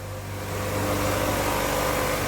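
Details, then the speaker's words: 2005 Chevy Aveo 1.6L E-Tech II on first start after timing belt and water pump replacement. Idle is steady and smooth, firming up after start, with no rattle and correct timing, before the final torque step. "give it a little gas oh perfect no more rattling no more noise she seems to be timed just [Music] perfectly oh just as smooth as silk"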